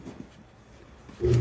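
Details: Replacement Balboa BP7 spa pack just fitted after the old pack burned out; tub filled, bypassing programming with temp up to purge air: quiet at first, then the single pump kicks in with a steady, even low hum, no grinding or rattle; normal.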